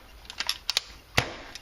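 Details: CCM pump paintball marker after work on barrel leaks and chuffing: pump clicks then one crisp clean crack with no trailing hiss or puff; firing normally.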